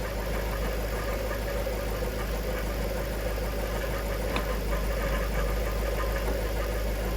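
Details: Jaguar XK8 in a garage, idling after a Transgo pressure regulator valve upgrade and fresh ATF: a loose, uneven rattle rides over the low rumble, and the transmission rattle persists after the fix; exact cause not found.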